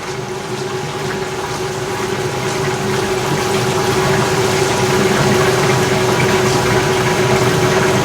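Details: 1989 Maytag A512 Fabric-Matic washer, 32 years old, spin and drain on a Regular cycle: a steady low hum with a faint constant tone and water rushing out, no grinding or thumping. The spin is impressively quiet and normal.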